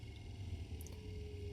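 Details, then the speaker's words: 50-year-old MK1 Ford Escort panelvan, off the road 30 years, electricals revived, heater fan switched to low: quiet steady low hum with faint even whir, no rattle or scrape; blower running smoothly on low. "So, my heater fan, that's on high, and that's on low."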